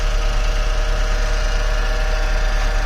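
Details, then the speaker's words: Toyota Passo idling petrol engine: steady rough whirring drone from a badly worn AC compressor pulley bearing; compressor to be unbolted and moved forward to replace the bearing. "देखें, अब ये आवाज़ कर रहा है, इसका bearing ये आवाज़ कर रहा है।"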